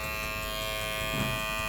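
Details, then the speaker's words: Kemei electric hair clipper with a harsh, overly loud buzz, noise returned after an earlier repair. "berisik sekali ya teman-teman sangat mengganggu kenyamanan pelanggan"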